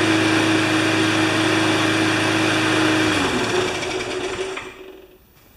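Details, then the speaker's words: Briggs small engine with Pulsa Prime carburetor, crankcase ventilation hose off, after fixing flooding carb: steady, even buzz without hunting or surging, winds down cleanly; started up and runs right, normal running. "that's absolutely perfect it started up"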